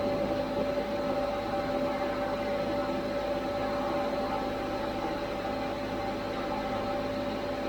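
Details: 75 hp well pump motor after the destroyed pump/motor coupling was repaired, during vibration-switch testing: steady, even hum with a constant tone, no knocks or roughness; running smoothly.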